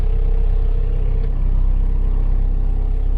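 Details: 1991 Range Rover diesel with a right-hand-drive conversion, started after waiting for the glow plugs; it starts fuss-free. A steady, even low diesel rumble with a regular pulse and no knocks or misses. Normal diesel idle.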